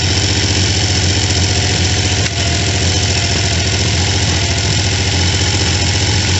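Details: T150V triple after heads and cylinders were removed to fix oil leaks, started on second kick (first kicked back), phone moved around; steady even idle with busy mechanical clatter, no clear knock; normal running after rebuild.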